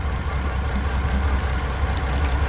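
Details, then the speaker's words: Three-year-old Mercury V6/V8 outboard on a 21 Montauk, no codes: low, lumpy idle with an uneven shimmy as if running on five cylinders, idle air control valve struggling; spark plugs suspected worn by age, unconfirmed. "That sounds like she's running on 5 cylinders. Shouldn't have that shimmy."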